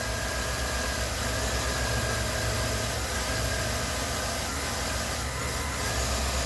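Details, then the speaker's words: 2013 Chevy Suburban 1500 idling briefly after replacing a noisy AC stretch belt, with the air intake still off; steady, even idle with no belt squeal or chirp. The new belt is seated correctly and the engine runs healthy. "Sounds good. Everything's intact. No belt came flying off, because believe me, if it was on wrong, it would have flew off the second you spun it off."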